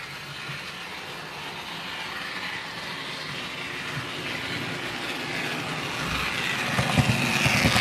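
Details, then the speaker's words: Dapol B800 DCC track cleaning wagon running with cleaning fluid on the grinding pad over dirty rails and sleepers: high scraping hiss growing louder as the wagon approaches, after only a couple of laps. Rail screech from the pad. "now you can probably hear that screeching around in the background it's only gone around a couple of times"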